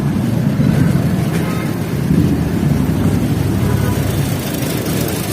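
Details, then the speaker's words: Toyota Vios with long crank, hard starting and stalling: a loud low drone with an uneven, lumpy pulse; the engine misfires. Owner suspects the ignition coil and may replace it. "Kuya yyan one click na yan oh pero palyado kaya baka magpalit pa tayo ng ignition coin"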